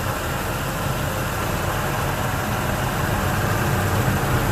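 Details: 1999 Ford F-150 V6, about 20 years old, warm idle recorded before an AMSOIL engine flush and oil change: steady, even low rumble with no knocks or rough misses; healthy idle.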